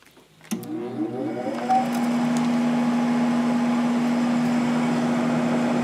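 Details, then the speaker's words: 1997 Sharp 8500 BTU window air conditioner, missing its original air filter, at start-up: a click, then the compressor kicks on and settles into a steady even hum with smooth fan rush; running normally, air nice and cold. "Seems to be working great. Air's nice and cold."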